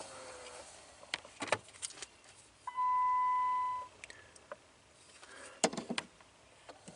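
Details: Clicking/ticking under the dash of a 2012 Jeep Patriot (about 126,000 miles), engine on: short actuator motor whine then irregular sharp clicks from behind the dash as the door cycles; faulty HVAC recirculation door actuator, replaced to fix.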